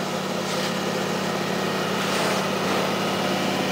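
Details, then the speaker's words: Rong Fu RF-31 mill drill, belt-drive with adjustable pulleys for speeds, running in forward: very quiet steady motor hum with soft even belt whir, no knocks, rubs or squeals; chipped motor fins don't affect operation; normal running. "runs very quiet slide this back it is a belt drive unit has adjustable pulleys for your different speeds"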